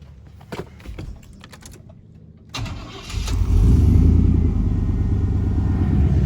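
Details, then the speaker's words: 1990 Chevrolet C2500 after replacing bad, poorly fitting spark plugs and wires; short crank, then starts and settles to a smooth even idle with no skipping, much better than before. "I got wire off change the plugs and wires it was pretty bad and the plugs were and wires didn't fit right but I tell you what she all runs a whole lot better listen to this"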